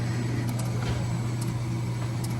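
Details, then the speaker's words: Coffee machine with no milk from the spout, milk line cleaned with 600 ml hot water and 1–2 oz Rinza by ordering warm milk repeatedly: smooth, even low pump hum with no surging or rattling, now working; normal milk pump operation. "So if after 4, 5, or 6 order of warm milk, you don't see the level going down, we will go to the next step. But now it's working."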